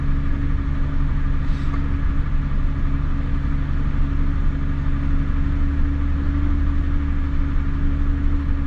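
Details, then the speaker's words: Mazda Bravo B4000 ute after idle control valve replacement, cold start: fast idle, steady even rumble and smooth low hum with no misses or knocks; normal cold fast idle. "so you see went up to 1,750 that's what this Ute should do when you go to cold start"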